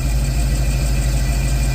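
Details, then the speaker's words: Chevy Caprice on ACES fuel injection with a new fuel pump, injectors, coils, plugs and MAP, crank and cam sensors: deep, even idle rumble with steady firing and no ticks or surges, and the earlier noise is gone. Owner had suspected the unchanged fuel line or fuel filter regulator. "But guess what? We don't have it, man. I'm excited. We don't have it."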